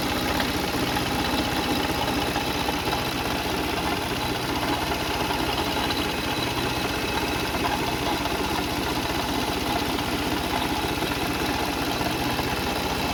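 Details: Car engine at even idle with an irregular knocking and whirring from the front of the engine; no leaks seen at the cover; worn water pump bearing noise.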